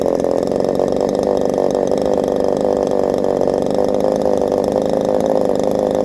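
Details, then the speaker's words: Chinese 62cc chainsaw with a highly modified cylinder at full throttle: steady, high, screaming drone held flat with no burble; running a little too lean, so the high-speed mixture screw is being richened. "So I killed this, it ran just a little bit too lean, so I put more in the high, and just to see, does it more fuel or less fuel, because it's a highly modified cylinder, so Who knows what it wants, really."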